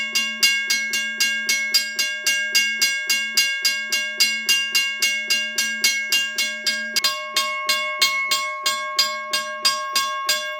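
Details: Restored Seaboard Coast Line WRRS mechanical crossing bell, probably around 60 years old, rust sanded and lubricated, ringing on a 9 V battery for first time in over 30 years: steady bright metallic clanging about three and a half strikes a second, even and healthy.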